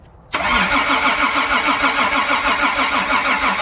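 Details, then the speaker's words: 1992 Toyota pickup, rebuilt 3VZ-E V6 with break-in oil, cranked with distributor unplugged and EFI fuel relay removed to prime oil before first start: steady even cranking about three turns per second with no firing; normal. "I'm going to crank it over with the distributor unhooked so that I don't have any spark and I took out the relay for the fuel the EFI so that I don't get fuel in the cylinders while I crank it over to lubricate it before I actually fire it"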